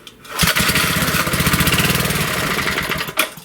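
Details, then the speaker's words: 1930s–40s Briggs & Stratton single (sold as a 1937 Model A, owner thinks possibly a Model B), not run since the last session, pulled: it catches and pops along evenly for a few seconds before cutting out; it starts and runs. "she started there we go that's your briggs for you"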